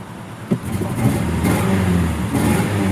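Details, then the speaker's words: Ford Ranger V8 truck idling rough with a lumpy, stumbling beat from a bad misfire on one cylinder; check engine light had been flashing, owner suspects a spark plug wire not fully pushed on. "does not sound good having a really bad misfire on one cylinders right"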